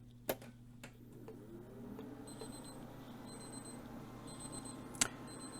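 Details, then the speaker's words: Restored 2002–03 home-built gaming PC from the capacitor plague era, after recapping and a new CMOS battery: a faint high-pitched beep about once a second after power-on, later attributed to the fan controller. "if you can hear that beeping I honestly don't know why it does that"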